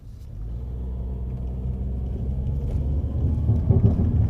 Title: low rattling sound from passenger front (sounds like it's coming from around the (foot box?) area)